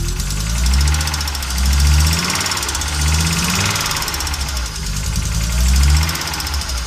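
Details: Audi Coupe after swapping NG engine for AAR engine, hard to start and stalls when driven: idle lurches and sags about once a second, uneven stumbling beat under background music; misfires, rough idle, cause unknown.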